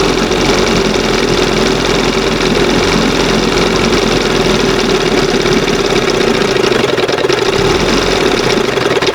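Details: 1971 Johnson 20 hp two-stroke outboard with a rebuilt carburetor whose butterfly has two holes. It holds a steady, fast buzzing drone that never settles to a slow idle. Idle stays high despite several carb swaps; owner suspects an air leak, reeds or fuel pump diaphragm.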